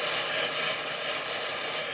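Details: Mercury Milan secondary air injection system being diagnosed for codes P0410 and P0491, pump powered directly with the inlet tube off the diverter valve: even, high-pitched vacuum-cleaner whoosh with no rattle or labouring; pump blowing freely, normal operation.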